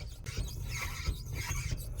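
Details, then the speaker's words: Wrecked W204 Mercedes C63 AMG with front-end crash damage, after sitting over a year: a rhythmic creaking grind about twice a second while rolling into the workshop. Source unknown; the transmission is suspected. "Listen to this noise. What the hell? I don't know what that noise is, guys, but that doesn't sound good. This transmission is not having a good"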